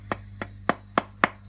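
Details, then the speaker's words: Old Fender Princeton Reverb guitar amp, customer reports squealing and feedback: six sharp taps come through the speaker with short ringing tails; the reverb recovery tube is microphonic and is to be replaced. "reverb send and preamp three wasn't doing anything there was some some sensitivity here on the uh reverb receive"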